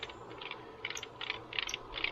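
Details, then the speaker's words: 1991 GMC 4.3 Vortec, engine not running, with a replacement distributor fitted; sharp metallic ticks in clusters about three a second as the distributor rotor strikes the outer ring of the coil, indicating a bad distributor. "And this should not, can you hear that? Yeah, this should not be doing that. This is hitting the coil, the outer ring of the coil."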